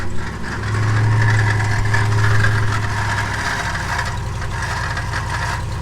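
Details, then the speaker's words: 2015 Ram 5.7L Hemi V8 at idle, hood open; the water pump pulley wobbles back and forth, and the owner suspects a failed water pump bearing. Earlier there was a squeak, then a rattle while driving. Light regular rattle from the engine front; water pump bearing rattle. "hopefully you saw that the water pump pulley was going back and forth inside there I think the bearing's gone out on the water pump"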